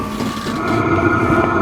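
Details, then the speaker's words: Diesel heater on a Baja Bug Beetle, on a cold 35°F day: steady blower hum with a clear constant tone and soft combustion roar after the fuel pump ticks; heater has lit and runs normally, hot exhaust. "yep it's definitely fired up that's pretty hot coming out of there"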